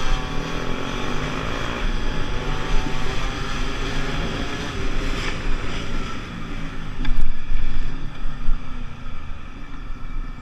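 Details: Small two-stroke Gilera (DNA 125 / Pulse Force 50cc project) on a test ride after a fuel-starvation fix, rider 14 stone: the buzz climbs and holds steady through the gears under wind noise, hitting 37 and still pulling, with no stumbles or cut-outs.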